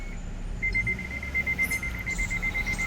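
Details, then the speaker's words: 2021 MG Hector petrol automatic with reverse gear not engaging: rapid run of high thin electronic beeps from the security alarm, triggered by abnormal relay state. "The abnormal relay style pressure of your vehicle has triggered a security alarm."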